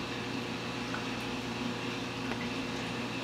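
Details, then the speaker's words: Bean Animal style aquarium overflow after startup: the last bubbles clear and the drain reaches full siphon, leaving only a steady, soft, even hiss with no gurgling. Quiet full-siphon drain, running normally. "See, there goes the last bubbles. Now it's full-blown siphon."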